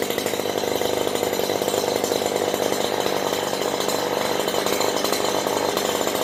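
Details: Stihl HL94K hedge trimmer running after its blades were sprayed and cleaned; high, even two-stroke buzz with smooth blades and not one bit of chatter, normal running.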